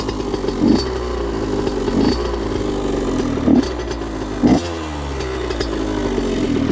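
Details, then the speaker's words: Honda CR85RB two-stroke with a blown crank seal, kick-started after topping off; owner suspects antifreeze contamination needing a head gasket; raspy uneven idle with a clattery burst roughly every second and wavering pitch, rough running, cause unconfirmed. "I know it's still probably gonna sound bad because if that is antifreeze then it definitely needs a head gasket"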